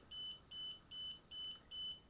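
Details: DJI Spark remote controller gives a high beep about every half second, without letup, just before remote controller calibration with the aircraft powered off. Beeping starts about 15 seconds after power-on, with the LED alternating red and green. Constant warning beep.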